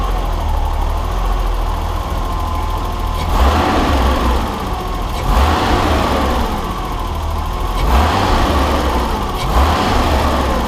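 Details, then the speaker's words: 1989 BMW 325i E30 inline-six after timing belt and water pump work, now with vacuum leaks sealed: fairly steady idle with only slight slow surging, running better than before. The main culprit was the pulse sensor at spark plug six; idle now acceptable. "okay so with those vacuum leaks now addressed it does seem like the engine does run a bit better than before"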